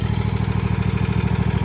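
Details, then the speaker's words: Toro TimeCutter 50-inch mower, Kawasaki FR691 engine at idle: fast, even clatter on every firing pulse from the top end; valves suspected to need adjustment, not confirmed. "a pretty good little rattle back here. Sounds like the valves need to be adjusted."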